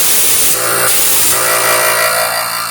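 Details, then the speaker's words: Compressor after troubleshooting adjustment: loud steady hiss with even hum underneath, no knocking or stumbling; sounds much better than before, running smoothly. "Sounds way better. Oh yeah. It's working. It's finally working."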